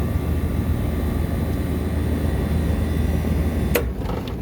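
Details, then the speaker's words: Walk-in freezer condensing unit after replacing faulty temperature control and compressor contactor, put into defrost to pump down: steady low compressor hum and even fan noise, then sharp contactor click as it drops out; sight glass clear, normal running. "good okay so we're all good now sight glass is clear everything's good"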